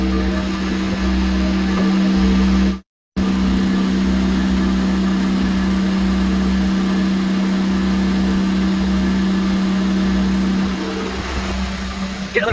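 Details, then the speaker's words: Boat Westerbeke diesel generator after fresh water pump replacement, charging batteries at about 200 amps: steady diesel drone, even low hum, no knocks or misses; normal healthy running. "See if it's good. Generator sounds good. Good to draw on."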